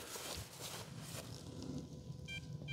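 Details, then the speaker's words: FMS PA-18 Super Cub 1.7 m RC plane after landing on a depleted battery: two short high-pitched beep bursts about a third of a second apart over outdoor rumble, the dead-battery warning. "that's the noise it makes when it's dead so you know might want to stop at your timer"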